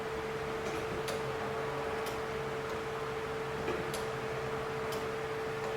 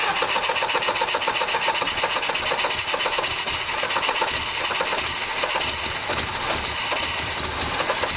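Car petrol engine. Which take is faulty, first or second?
second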